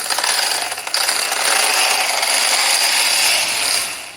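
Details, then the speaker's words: 3D-printed RC tank with brushed 540 45-turn motors and 60A ESCs, running indoors: high motor whine with rapid uneven ratcheting clicks; loose tracks skipping on sprockets, need tightening. "So you can hear the tracks are skipping a little bit, unfortunately, so I'm going to have to spend a little bit more time tightening those up."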